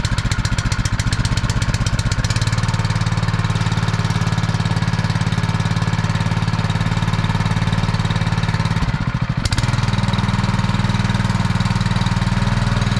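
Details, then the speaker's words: Honda firefighting pump, sat unused over 2 years, primed with valves shut: small engine drones steadily, then sags and stumbles around nine seconds as it loses prime, cavitating from an air leak sucking air through the suction draw. "There's a leak, it's cavitating, it's sucking air through the draw."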